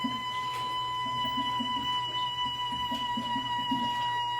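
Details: Toilet flush valve making a steady, high whistle at an even pitch with faint background sounds; flushing stops it briefly, then it returns; cause not pinned down.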